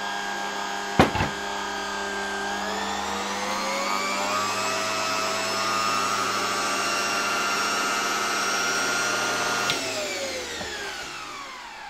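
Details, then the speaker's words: 1987 Zelmer 200.8 vacuum cleaner with replacement 1985 type 300 motor. Spins up to a clean steady whine, holds speed, winds down smoothly with no crackle; only minimal normal glow at the brushes, unlike the original motor's sparks. Normal motor run. "praktycznie widać tutaj naprawdę takie minimalne żarzenie się przy tych szczotkach tak jak to powinno być przy pracy silnika"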